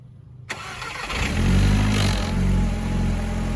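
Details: Mk4 VW 1.8T with a K04 turbo, after repairing a cracked cylinder head, resetting timing and fitting new NGK BKR7E copper plugs: cranks, catches quickly, flares, then settles into a smooth, even idle with no misfire.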